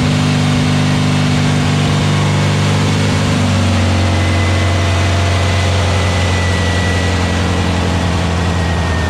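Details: Freshly built VW Beetle 1679cc single-port engine with Scat C25 cam and dual Empi ITC carbs during its 20-minute cam break-in. A steady, smooth throb settles partway through to a lower, even note with no knocks or misses. Healthy running; break-in succeeded and carbs still need tuning.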